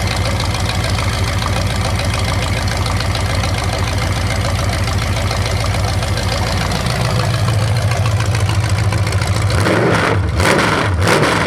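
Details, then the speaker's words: 427 big-block Chevy V8 on an engine run stand, first fire after sitting a long time; distributor timing adjusted, owner suspects the wrong way. Loud even open-header idle with steady lope, clean rev rises dropping back smoothly; normal idle and revving. "I had to play with the timing, the distributor. I got it a little bit loose. I think I went the wrong way, but yeah, that sounds really good. It actually sounds really, really good."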